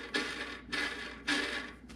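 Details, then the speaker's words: 40-year-old metal-cutting bandsaw, guide roller bearing spun by hand three times: a dry, gritty rasp that fades out instead of a smooth hum; worn, dried-out guide bearing. "that one doesn't sound good at all"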